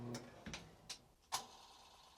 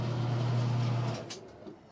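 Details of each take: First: Old Maytag Performa top-loader washer won't drain or spin. The lid switch works, and scattered clicks come from the motor kicking on and off below with no spin; the owner suspected a bushing. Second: Maytag Performa washer that wouldn't drain, tested after the belt was refitted. Even low spin hum for about a second, then it winds down with soft clunks: normal spin. Squealing started on the second load.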